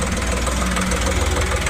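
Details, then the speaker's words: Ashok Leyland Dost diesel after crankshaft repair, air bled from fuel lines: steady low diesel clatter at idle, no stumbling or surging; running fine, faults traced to bad crank sensor and rail pressure sensor. "अपन य अपना जो engine start हो चुका है complete successfully ये देख सकते"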